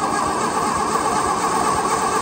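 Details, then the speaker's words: Case VAI engine cranking with 12 V confirmed at the coil: the starter spins it at an even, brisk beat with no binding, turning over freely but not catching. "it's making a lot of it's hurting Road pretty fast but it's turning over nice so well uh I did check the coil we got 12 volts there so in all reality it should start"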